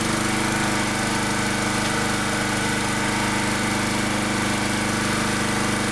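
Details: Generator with new carburetor running rough with a blocked, mucky air filter: lumpy uneven beat with hunting note instead of a steady drone; the blocked filter causes the bad running.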